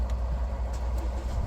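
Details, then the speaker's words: 2022 MG RX8 that would not crank after an accident (airbag light on, safe mode); after seatbelts replaced and airbag control unit reprogrammed and refitted, it starts, airbag light off; steady even low idle, no knocks or stumbles. "اشتغلت احلى ما يكون ولمبه الايرباك طفت نظام الله يبارك له"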